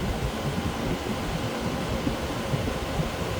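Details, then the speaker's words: Frigidaire window air conditioner after deep cleaning of mold, running in cool on auto: steady, even airflow hum with no rattle, scrape or knock; fans running different modes, operating normally. "I can hear the fans that they're running different modes due to it's an auto."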